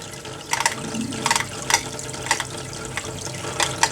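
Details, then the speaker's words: Tetra Whisper IQ 20 hang-on-back aquarium filter with a missing part on the impeller shaft; a borrowed rubber piece from another filter did not fix it. Sharp irregular clicks in quick bursts under the splashing water: the loose impeller is rattling. "you can hear that impeller just rattling around in there which is a shame because this is supposed to be a whisper quiet filter and in fact it is the absolute opposite of a whisper quiet filter"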